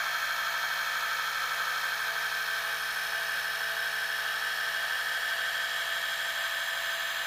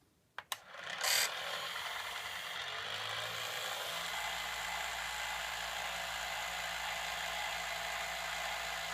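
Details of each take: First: Gakken Premium Gramophone kit, spring motor fully wound, bare mechanism with other parts removed, after greasing with Thomas Edison phonograph grease recipe: steady even whirring, no knocks or rattles; gear train runs smooth and noticeably quieter than before. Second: Gakken Premium Gramophone kit, bare wind-up motor mechanism with other parts removed, as from factory with no lubricant, before greasing: loud, steady high-pitched gear chatter and whirring; dry gears needing grease.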